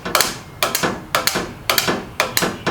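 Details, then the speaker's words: 1980s Chevy S-10 engine with sludge-like oil, starter jumped directly: sharp metallic clunks about twice a second with no cranking rhythm, engine won't turn because it is seized. "trying to do something but it ain't gonna turn anyway because the motor is locked up"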